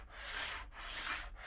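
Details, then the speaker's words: TT120 model railway, wagon rolled with no pressure over track stuck to foam tape: hollow hissy roar swells each pass; the noise returns because the track's adhesion to the foam acts as a sounding board. "all of a sudden we're back in the noise again not pushing down any pressure on that wagon it's just rolling across the top"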